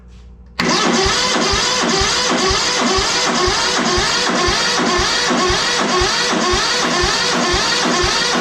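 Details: ZT200 mower twin after ignition conversion, spark verified at plug, starting fluid sprayed into cylinder: steady cranking about three compression pulses a second, never catches; owner suspects a blockage, perhaps bad starting fluid, unconfirmed.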